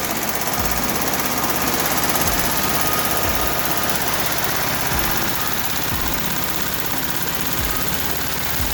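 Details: VW Type 1 36hp air-cooled flat-four after rebuild; the suspected rod knock turned out to be worn pushrod guides: idle with a light, busy valvetrain clatter and steady beat, no bottom-end knock; running normally.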